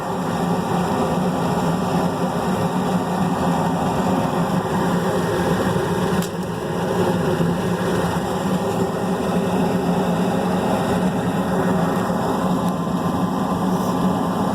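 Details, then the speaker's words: Rooftop HVAC unit, opened up after a reported noise at startup, running after restart: a steady, even hum and fan whoosh with no knocks, rattles or squeals. Nothing unusual is heard; it runs normally. "At this point, not really hearing anything out of the way. So I think she's going to be okay."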